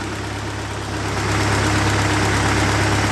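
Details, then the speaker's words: 1948 Ford 8N tractor fully warmed up after rebuild, thermostat open and coolant circulating, nearly out of fuel: an even, steady low thrum with a smooth firing rhythm and no knocks or misses. It is idling cleanly. "so what we're going to do now it's it's all warmed up and it's running good it's just about out of gas"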